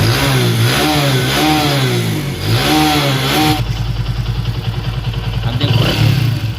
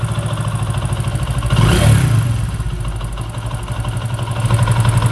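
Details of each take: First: Vikrant V15 motorcycle after one-way clutch (starter clutch) repair: engine blips up and settles with a clean, even beat, no knock or rattle; bad noise gone, sounds healthy. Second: Vikrant V15 single-cylinder motorcycle idling: a steady metallic clatter that rises when the throttle is blipped. Opening the magneto side showed a failed one-way starter clutch bearing, and the fix is replacing that bearing.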